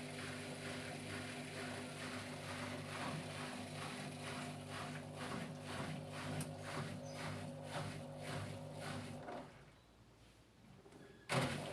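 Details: Washing machine making noise when loaded: a loud droning roar with a whooshing pulse about twice a second from worn drum bearings.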